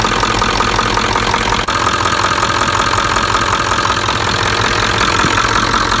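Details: 1996 Ford F-350 7.3L Powerstroke diesel, started for a leak check after the fuel bowl and the cracked, failed fuel pressure regulator were replaced (pressure had spiked over 100 psi or dropped below 20): steady, even idle clatter, no misses or hunting. Normal.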